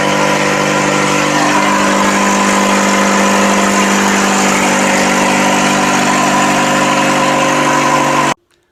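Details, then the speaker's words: Rebuilt Nissan QR25 engine idling; slightly uneven, stumbling beat under a steady hum, a misfire from a dry-rotted coil pack boot. Fixed by rewiring the plug wires to the coil packs. "guys I'm not sure if you could tell from the previous clip but I did end up having a rewire all of my spark plug wires there are three of them to each kolpak reason for that is because over time those spark plug or those cool pack plugs dry rot"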